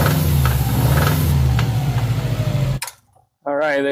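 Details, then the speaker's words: Subaru STI with a straight-pipe, muffler-deleted exhaust. It sounds normal at lower revs, but at higher rpm a loose knocking tapping comes through the loud roar. The cause is not confirmed; the oil pan is to be opened. "go guys so with a higher RPM little over 200,000 RPM you could hear that Knockin sound that's ridiculous so we're going to diagnose that"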